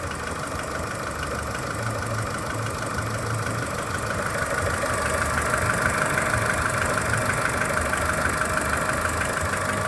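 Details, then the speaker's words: Skoda Fabia 1.4 at idle, cold: steady regular knock about three a second from low in the engine near the timing belt, faint whine and slight hydraulic lifter tick; dealer calls it normal piston slap, cause unconfirmed. "Больше всего его слышно где-то снизу. Официалы говорят, что это перекладывается поршень, и это все в порядке вещей."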